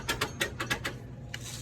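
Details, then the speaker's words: US General tool box drawer shoved back and forth, giving short bursts of loose metallic clatter. The drawer slides are sloppy, before riveting them solidly to the drawer. "but you can hear how sloppy they are i'm sure you can see the movement in them"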